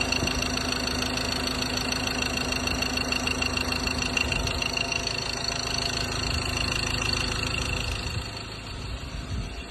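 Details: 2015 Ford Ranger 2.2 diesel idling with a steady, fast tapping of about 200 a minute over the usual diesel clatter. An abnormal engine tapping noise whose source needs closer checking.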